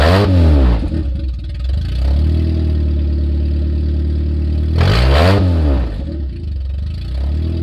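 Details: 1994 Nissan Sentra four-cylinder running with exhaust removed after an exhaust leak was found at the catalytic converter heat shield: loud raw bark on two quick revs falling back to a rough, blatty idle; open exhaust.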